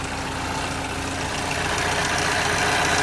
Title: 2011 equinox loud noise. What is wrong with it? The dealer said it is normal